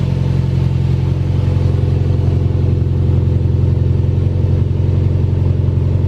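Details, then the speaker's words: Honda S2000 on lift with new Skunk2 header and 3" titanium exhaust: deep, steady, beefy rumble with even beat, no knocks or rattles; healthy idle, some smoke from oil burning off new header. "Yep. That sounds pretty beefy."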